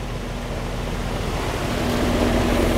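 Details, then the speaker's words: Residential AC outdoor unit: only a steady fan rush with a faint low hum and no compressor drone, so the compressor isn't starting. Capacitor suspected. "compressor is not running it's just a fan so maybe it's a capacitor that's probably that don't sound like the compressor's running"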